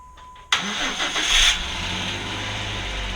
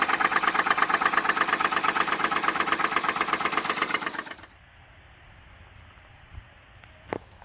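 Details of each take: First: 2010 Jeep Wrangler JK after swapping in a replacement engine core for a blown, rod-knocking motor; first start after priming, chime then quick catch into a quiet, smooth idle, no dash lights: normal. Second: 2010 Jeep Wrangler JK, bought at auction with a blown engine: petrol engine runs with loud, regular rod knock, then shuts off; engine later replaced with a new core.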